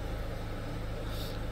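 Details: Diesel car, fuel system re-primed after a fuel part replacement with air in the fuel, before checking oil level: low, steady diesel hum with no stumbles or misses; normal idle.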